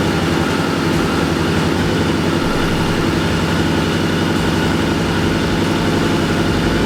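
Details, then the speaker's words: BMW K100 cafe racer, after off-camera repair of the no-start problem: steady even idle with a low rapid beat, no knocks or misses; running nice and smooth. "so i just wanted to tell you the end of the story the bike is running nice and smoothly and i finally finally figured out the"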